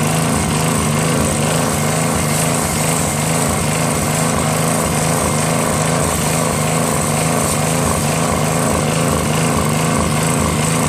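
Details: Northern Hydraulics pressure washer, Briggs 3.5 hp engine with primerless vacuum fuel reservoir, unused 8 years; after starter fluid start and fixing hose, wand and clogged rusted tip, single-cylinder engine runs steady at constant speed with pump hiss; working normally.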